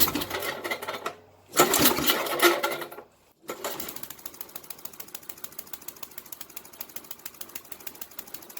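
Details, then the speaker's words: Old Ariens snowblower (model 910995, Tecumseh H60-75361J engine), after carburetor cleaning/rebuild for choke-only running and fuel leaking from the carb: after some clatter, small single-cylinder engine settles into an even beat, no misses or surging; runs great. "Oh, that's a great running little snowblower, man. And of course, these old Ariens are just the best."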